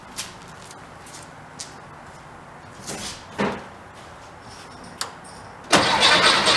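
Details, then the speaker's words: 1959 VW Type 2 truck, after carburetor reinstalled: clicks, then engine catches cleanly and runs evenly; throttle response now immediate. "so eyeball it one more time you hear it now the throttle response it's immediate"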